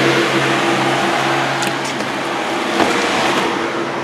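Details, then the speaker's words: 1979 Chevy K20 straight-piped engine on a supposedly rebuilt used carburetor: revs climb hesitantly and roughly on throttle; stumble from weak accelerator pump, fuel line leaking slightly. "but the accelerator pumps definitely weakened he rebuilt it"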